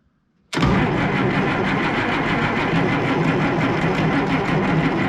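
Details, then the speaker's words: Oliver 1800 diesel tractor with a repaired, reinstalled Stanadyne (Roosa-Master) injection pump, lines bled and injectors dripping: steady starter drone with an even cranking beat and no firing while trying to fill the pump case and purge air; cranking without starting. "All right. Let's see how, we'll crank her one more time, see if we can't get that case filled."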